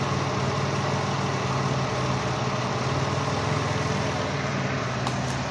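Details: Dodge Caravan with code P0301, idling with a faint uneven stumble under a steady hiss. Open ignition wire on cylinder 1 forces the coil to fire at 40 kV minimum instead of 10-15 kV, causing the misfire.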